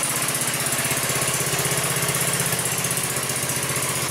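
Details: 150cc four-stroke overhead-valve go-kart engine idling cold right after a valve adjustment: single cylinder thumping evenly around four beats a second, crisp exhaust bark, no ticking or knocking; normal idle.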